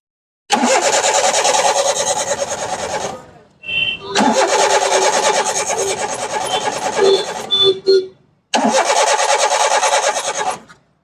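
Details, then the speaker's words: 2015 Hyundai Eon petrol, stopped starting after repairs, security light not lit, check engine light on, relay bypassed: three cranking bursts with steady starter chugging, engine never catches. Cranks but does not start. "गाड़ी start नहीं हो रही है, तो चलिए देखते हैं कि रिले खराब है या ठीक है, रिले लगाकर देखते हैं।"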